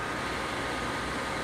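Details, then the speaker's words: Dell Inspiron 530 desktop (about 350W PSU) at the Windows 8.1 desktop after upgrades: a steady, loud rushing whoosh from the fan running fast although the machine isn't overheating. Cause unknown. "is running fast I'm not really sure what the deal is it's not like it's overheating or anything so I may need to do something about that"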